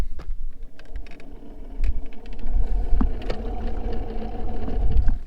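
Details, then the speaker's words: Boat trolling motor running: rough, uneven low rumble with a gritty growl over the motor hum, a grinding sound inside the trolling motor; owner also suspects bad batteries. "i don't know if you guys can hear that or not but that is a grinding sound so how to get a new trolling motor"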